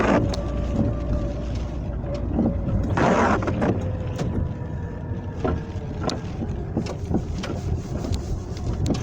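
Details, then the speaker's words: Lada Kalina at 47,000 km: irregular dull knocks from the front suspension, front left, while driving over an uneven road; started this spring; owner cannot identify the cause. "на моей машине на колени пробег 47000 и что-то стала стучать передней подвески что стучит я не могу понять"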